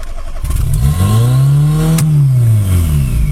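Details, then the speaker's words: Fiat Seicento Abarth with a newly fitted turbo, first start after the build: revs climb by themselves to a high hold with no throttle, then slowly sag; owner strongly suspects an intake air leak. "À chaque fois que je démarre, le moteur part dans les tours exactement comme si j'avais le pied appuyé sur l'accélérateur, sauf que j'appuie pas sur l'accélérateur."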